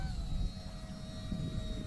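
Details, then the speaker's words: FT Freedom Fox V2 RC plane on its second flight on a cool, breezy morning, its ESC later catching fire: steady high motor whine over wind, pitch sagging and uneven; failing ESC. "let me get her turned around Lander yeah my motor 's gone the ESC blue I think hold on let's see what's going on"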